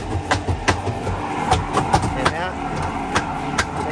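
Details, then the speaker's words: LG WP-1650ROT twin-tub washing machine, long in use, spin-drying one wet cloth: sharp uneven bangs about every half second over the spin hum as the spin tub wobbles and knocks. "แล้วก็เริ่มมีเสียงนะครับเดี๋ยวเราไปดูกันครับว่ามันดังมาจากตรงไหน"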